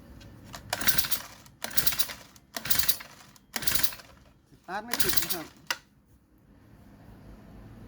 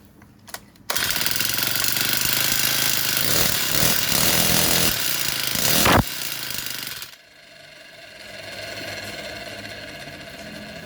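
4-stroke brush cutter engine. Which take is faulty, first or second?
first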